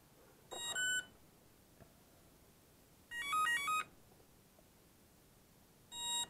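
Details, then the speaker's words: Emax BLHeli 20A ESC entering its programming menu via the transmitter (throttle up, transmitter on, plug in): short bursts of bright beep tunes about two seconds apart, stepping through 13 options, starting with brake type. "it's like a really weird series of beeps and you got to really pay attention to it but I will go into that that way you can hear it"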